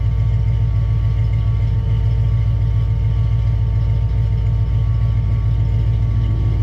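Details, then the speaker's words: 351-swapped Foxbody Mustang carbureted V8 after jet change and float level set: fires right up, steady even idle, smooth low rumble, no misses or hunting, AFR near 14.7. "Okay, so it fired right up and it sounds pretty good. I haven't looked at the AFR yet. Idling at like almost perfect 147."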